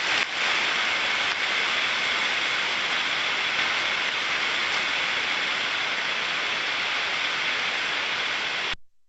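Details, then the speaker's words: Ultrasonic inspection of a bearing during ultrasound-assisted greasing: a steady, even hiss with no crackle, stabilised at 30 dB. The sound turns clean and flat rather than rough, showing optimum lubrication has been reached. "Entonces vemos que tenemos un valor de 30 decibelios que se ha estabilizado ahí, el sonido se ha aclarado muchísimo, empieza a ser limpio, ya no es un sonido, yo lo llamo rugoso, ¿vale? Es un sonido más plano, y entonces sabemos que hemos llegado al óptimo."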